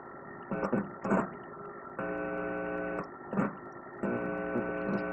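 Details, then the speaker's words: Sony Genezi modular HCD-GTR33 with defective audio that shuts off by itself, checked at a speaker output: steady low buzzing hum with stacked overtones switching in and out; amplifier-stage hum fault suspected, not confirmed. "voy a bajar el volumen acá y voy a verificar una de las salidas ah bien ahí oímos el ruido no"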